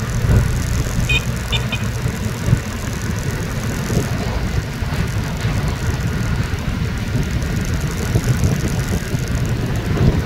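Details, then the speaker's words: Rusi Flex 125i scooter riding over bumps after the fix for the noisy front fender: steady engine and road rumble, no rattling or knocking from the front end, only the phone holder bouncing; the irritating knock is gone. "pero yung tunog na maingay nakakairita wala na siya yan wala na yung tunog na nakakairita"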